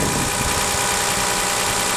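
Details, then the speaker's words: 2001 Toyota Avalon 1MZ-FE 3.0 V6 after Bosch alternator replacement, charging 14.5–14.7 V: smooth even idle hum, no whine, squeal or rattle from front of engine; normal idle. "Putting out a lot of power to the battery right now. And that's great. Sounds good, not making any noises or anything."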